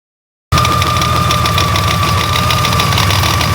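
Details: Honda Gold Wing GL1800 engine at idle; fast uneven knocking about four per second over the engine, worsening over time with occasional vibration felt through the handlebars; abnormal internal knock, cause unknown.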